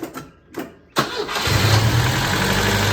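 Brief cranking, then it catches at about one second and settles into a steady, even idle. It starts readily and runs cleanly.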